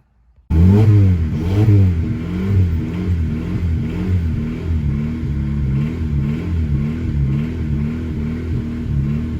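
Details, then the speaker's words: 2000 Honda Civic D16Y7 after repeated cranking attempts, no new plugs fitted: the engine fires at once, swells through repeated throttle blips, then settles into an even idle with no misses; the fault is concluded to be the distributor. "all right so i didn't put plugs in it i just kept nussing it and it started so the moral of this story is it is a distributor"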